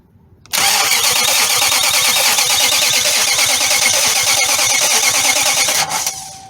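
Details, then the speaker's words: Nissan Titan with a no-crank complaint, starter tested in place with fuel pump fuse pulled: quick, even cranking about three beats a second, strong and unfaltering without firing. The starter is healthy and not the problem. "And this starter seems very strong. It's turning over the engine with no problem. So the starter is not the problem at this point."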